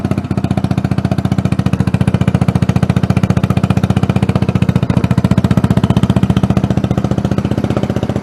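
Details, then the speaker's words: Tomberlin Punisher buggy after engine swap, single-cylinder engine: even steady putter about four beats a second, deep thump, no misses or knocks; healthy idle. "so sounds great sounds real good actually it sounds like a gy6150 on steroids actually doesn't sound too far off being like a bloody yamaha 250 four-stroke to be honest"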